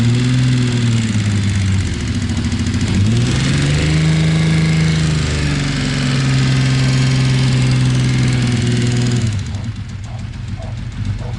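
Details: Z1300 engine blipped up and back down: quick light ticking that follows revs; source of the tick not yet found.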